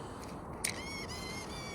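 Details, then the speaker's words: Yamaha-derived engine GPX motorcycle after 3-month layoff, ignition switched on: quiet background then faint whirring whine for about a second as power valve servo sweeps; normal power valve servo cycle. "you can hear the uh the servo boat up there for the the power valve"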